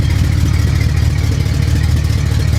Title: Huge Exhaust leak i need to fix